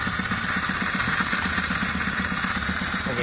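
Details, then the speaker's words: 2013 Chevrolet Spark 1.2 with code P0352, ignition coil already replaced: rough, lumpy idle with hard uneven beat, severe misfire on two cylinders, no spark at cylinders 2 and 3 coil, caused by a wiring fault. "El motor enciende, anda muy mal, en verdad anda muy mal y no se ve, no hay presencia de chispa."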